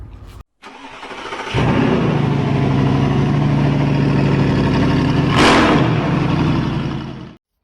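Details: 1995 Mercedes E220 2.2 W124 Cabriolet with an immobiliser and remote central locking fault (remote won't lock or unlock): the starter cranks at a steady four beats per second for six seconds but the engine never catches. Crank, no start, immobiliser suspected.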